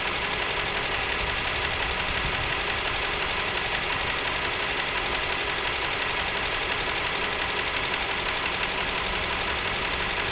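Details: Nissan Serena C27 with MR20DD engine: sharp, regular ticking knock at roughly three per second sits on top of the idle and stays constant; internal engine knock of unknown origin.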